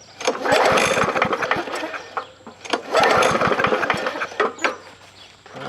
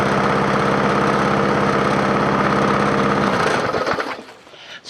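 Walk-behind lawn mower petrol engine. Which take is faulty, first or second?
first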